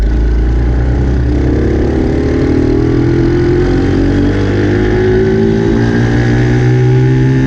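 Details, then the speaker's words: Dumpster-found Chinese 48cc quad with new fuel lines, started by jumping the starter solenoid since the key is disconnected: revs up and down cleanly, pitch following throttle smoothly, no misfires; runs good. "You saw the quad runs good, and this is where the ignition is, so I'm going to take off that body work so we can get to it."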